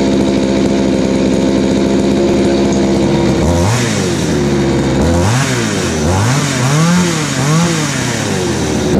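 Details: Craftsman 3.7/Poulan 3700 chainsaw with new carburetor and fuel line, after the high-speed screw was adjusted to fix a bog: steady high idle, then repeated revs that climb and fall without stumbling. It runs smoothly, idles well and picks up well.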